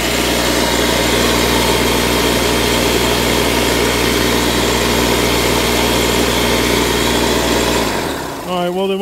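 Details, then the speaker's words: Secondhand air compressor found to work: steady, fast chugging drone holding an even pitch for eight seconds before it stops, compressing air. Owner suspects a possible issue with the shut-off mechanism. "Sounds like it's running to me and it compresses air."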